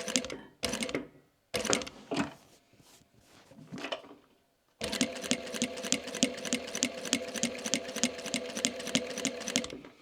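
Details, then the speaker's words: Sewing machine stitching microfiber with a burred needle: bursts, then steady stitching near 200 per minute with a sharp knock or jerk on each stroke, like punching through foil; burred needle, replace it. "Teraz założyłem igłę z zadziorem. Mam nadzieję, że słychać takie jakby szarpnięcia, czy pukanie."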